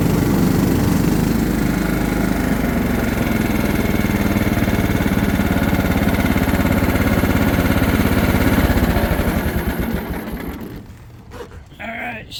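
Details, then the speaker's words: John Deere LT150 mower with replacement 15 HP Kohler engine, freshly swapped and mowing grass: steady, even single-cylinder thrum holding speed under load, then winding down smoothly at shutdown; runs healthy. "seems to do good we'll probably run it for a little while just burning all the oil off of stuff etc etc but uh she's ready"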